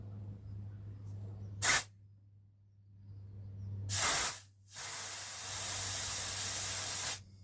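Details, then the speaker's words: Rover P6 fuel line disconnected and blown through with compressed air toward the tank: sharp air bursts, then a steady rushing blow. Air is heard coming out the other end, so the fuel line is clear. "Yeah, I can leave that going back through to the tank cuz I can hear the air coming out the other end."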